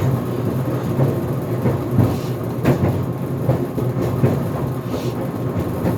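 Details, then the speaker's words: GE Profile Harmony dryer on cooldown cycle (11-minute dry time, no extended tumble, sneakers cycle) tumbling with irregular heavy thumps and bangs about every second over drum rumble; door pops open near end of cycle; cause unclear. "armony dryer is making a banging noise it is on the cooldown cycle right now because I set the drive time to 11 minutes without extended tumble [Music] making some banging noises"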